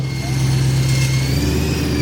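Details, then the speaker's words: BMW E92 M3 with S65 V8, non-running after sitting for years, now revved: a harsh, rough note with an odd whine. Cause unknown. Abnormal noise when revving. "This M3 had been sitting for years, was in non-running condition, and when I got it running, it's got some noises. I can't tell what that noise is."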